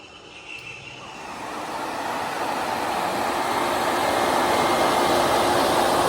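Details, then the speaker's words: Maruti 800 carburettor car, upgraded radiator fan assembled and test-run for clearance: fan spins up over a couple of seconds to a steady even whoosh with no rattle or scraping, working properly. "Correct ആയിട്ട് work ചെയ്യാം അത്ര കാര്യങ്ങളോ ഒന്നുമില്ല അത്യാവശ്യം നല്ല രീതിയിൽ തന്നെ work ചെയ്തിട്ടുണ്ട്"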